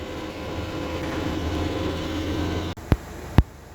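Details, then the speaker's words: Mercedes Sprinter van with check engine light, moving: steady low droning hum that grows louder as speed rises and disappears when stopped; source not identified. "тот звук есть только когда ты едешь Если ты останавливаешься этот звук пропадает"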